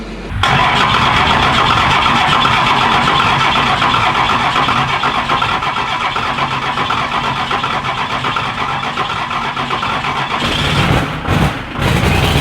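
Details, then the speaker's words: 12-valve Cummins diesel truck: the engine catches and settles into a steady, even diesel idle without knocks or misses, running well. "yes sounds like it's running good"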